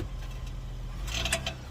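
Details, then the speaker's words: 2020-2022 Ford Explorer police unit before repair, pulling away from park: sharp metallic ting/tap/pop sounds between suspension grunting over low rumble; dry rusty rear CV axle splines. "there it was you hear the little ting ting ting ting ting in between the suspension grunting there's a little ting in there"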